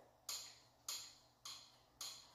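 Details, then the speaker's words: Yamaha Big Bear 350 ATV with hydraulic front drum brakes that had almost no braking, front wheel turning before teardown. Four sharp, evenly spaced metallic clicks from the front drum brake; owner suspects the slave cylinder, not confirmed. "that clicking sound which is probably the sleeve cylinder these things had uh hydraulic drum brakes in the front"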